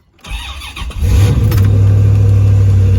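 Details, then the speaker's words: V8 after about a month-long engine rebuild: starter cranks briefly, engine catches and settles into a steady, deep, even idle. "So go ahead and crank this thing up for y'all so y'all get to hear it at least."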